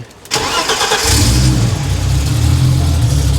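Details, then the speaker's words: Roughly 30-year-old BMW E36 M3 Evolution, which failed emissions, after fitting new Bosch plugs; air filter clean, intake pipe leak-free. Brief crank, catches at once, steady even idle without misfire; normal start. "I just started it and it starts basically bang on the button now."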